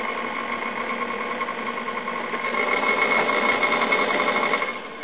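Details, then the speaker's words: 1998 Pentium III PC with 2 GB and 4 GB hard drives, 768 MB RAM, booting Windows 2000: fast, light, fairly regular ticking about three or four a second over a soft hum; normal hard drive seeking while loading. "a percent called Windows 2000 you can hear the hard drive quickly thank you a hard drive clicking"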